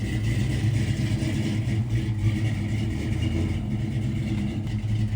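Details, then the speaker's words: 1967 Ford F100 with carbureted small-block Ford V8, before ground-up build, start and rev: deep even V8 rumble with steady firing, no knocks or misses; sounds good, runs smoothly. "Sure sounds good though."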